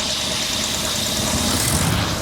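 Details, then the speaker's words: Grandfather's 1966 Ford Thunderbird V8, revived after years of neglect, throttle linkage not yet connected: steady even idle, soft low burble, no misses, knocks or hunting; purring smoothly, normal idle. "Wow, I can't get over how smooth this is. Listen, she's just purring. Purring."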